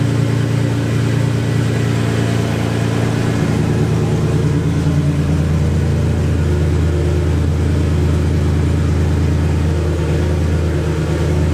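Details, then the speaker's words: Infiniti G35 coupe with JWT S7 cams and full bolt-ons, fuel switched to E85, cold start: very loud, choppy, lopey high idle from the cams; sounds okay for a cammed engine. "and I love that cold start it's crazy loud but it it sounds like it's doing okay"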